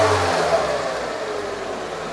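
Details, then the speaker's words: 2000 K11 Nissan Micra Sport petrol, after 10 years stored, after fitting a new throttle body and idle control valve: smooth, steady, slightly raised fast idle with no misses or knocks. "on fast idle at the minute good new news"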